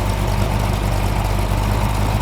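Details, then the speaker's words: Chrysler 318 stroked to 349 (.030 over), first firing on the engine stand for a '73 Plymouth Barracuda project, timing about 6–7° advance: deep, even V8 idle around 620–750 rpm, strong and solid with no misses or knocks; normal idle. "right now at about 620, 650, or 750, 720. Very good, strong, solid idle."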